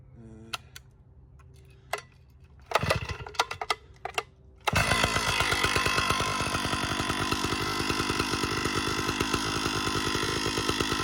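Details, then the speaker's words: Stihl 056 AV Super with clutch removed, started to recheck: runs with a loose, uneven clanking rattle over a busy buzz. Knock believed internal to the engine; teardown later found no rod or crank bearing play, cause unconfirmed. "okay back again this time we've got the clutch and everything off so i'm going to start up again and see if it's still making that horrible noise"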